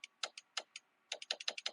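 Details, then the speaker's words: 2004 Ford F150 after a snow storm: sharp dry clicking from inside a door when the window switch is pressed, irregular then speeding up, window mostly not moving; suspected bad window motor or wiring issue, unconfirmed. "and I can hear it clicking oh there it goes we may have a bad motor in here"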